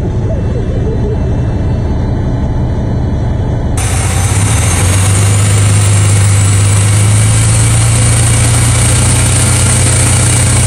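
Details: Freightliner FLD132 Classic diesel truck after a no-start: steady low diesel drone settles in after a few seconds with an even beat; normal idle.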